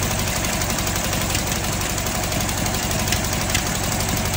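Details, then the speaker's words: Fiat 126p two-cylinder engine with milky oil; ragged, uneven idle with stumbles under a busy clatter, nearly stalls on throttle, exhaust smoking; owner suspects blown head gasket, poorly mounted exhaust or ignition; rough running. "kaszle gazu dodam jak gazu dodaje to chc Gasnąć tu się od wydechu dymi"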